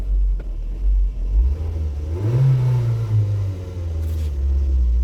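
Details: Engine with P0400: a quick blip sends revs up, then they hang high and lope unevenly instead of dropping back, lope worse in drive; suspected vacuum leak.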